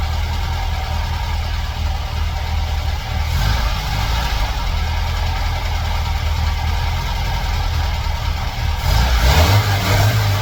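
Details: Air-cooled VW flat-four rebuilt from parts, bench-run before fitting in a '58 Beetle: even, steady run with a brief rise in revs near the end; fresh rebuild runs fine, timing and carb tuning still needed.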